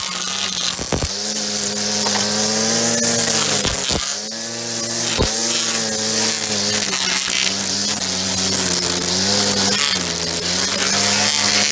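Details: Echo SRM-2400 string trimmer, believed mid-1990s, slightly bigger engine than the SRM-230, just started after priming and choke. High, buzzy two-stroke drone holds an even pitch with small throttle dips, clean and steady; runs healthy, though it vibrates a lot.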